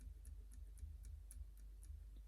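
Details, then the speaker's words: Ingersoll S-profile double-sided lever lock picked with a Lishi-style pick: faint, steady ticking about four times a second after a click at the back lever, which is tapping freely and so is gated. "okay bound up here at the back nice little click and now it's tapping and we'll move through that's still again we hear it tapping"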